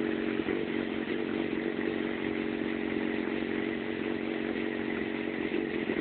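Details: Yamaha FZ6 idling with a steady buzzing four-cylinder note but an uneven, wavering beat; rough idle and poor running below 3000 rpm, cause unknown.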